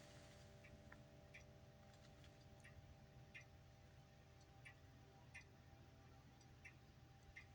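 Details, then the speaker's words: Grandfather clock running, strike also catching during chime: quiet tick-tock about every two-thirds of a second with slightly uneven spacing; pendulum sounds a bit off, timing off, likely out of beat; needs a clockmaker. "So you can hear the pendulum. You can hear it a bit off."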